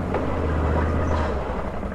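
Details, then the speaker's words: Can-Am Renegade XC 1000 V-twin ATV started after sitting seven months, possibly on its original battery, cranking slowly but starting right up. Steady, low, even idle while warming, with a dust-burning smell; no misses or knocks. "let it warm up for a minute dust it off nice and quiet"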